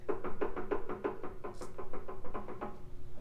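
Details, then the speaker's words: 1960s vertical milling machine that had been stuck solid, now running again: a rhythmic dull clunk roughly three times a second as it turns over, a slight knock in the drive with no clear cause. "sweet yeah that thing runs definitely some uh slight bit of clunk that noise"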